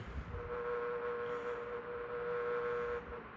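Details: Electric fan running since the 1970s: steady mid-pitched hum over soft fan whir; owner first suspected thrust washers, but noise was vibration resonating through the base, since fixed.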